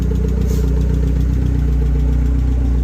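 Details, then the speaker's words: Rover Metro Turbo K-series, restarted after rear crank seal replacement with the turbo blanked off and coolant bled, warming up toward fan cut-in: steady idle with a light, fast ticking of about four taps a second; still sounds tappety. "still sounds really taby"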